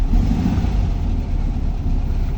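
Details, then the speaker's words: Cold VW Beetle (vocho) engine just started, lumpy uneven running that doesn't settle; owner says carburetor is dirty, suspects clogged jets; transmission noise gone after topping up about a liter of oil. "Está muy frío. Y el carburador está sucio, la verdad. La verdad es que el carburador está sucio."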